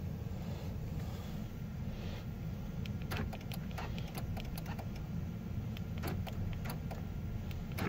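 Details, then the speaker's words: 2008 Jeep Grand Cherokee, said to have transmission limp-mode issues: turning the key after wiggling the battery connection gives only scattered sharp clicks, no crank. Electrical fault suspected; low voltage to be ruled out with a jump. "All right, wiggle the battery connection. Let's see. Nothing. There's something clicking."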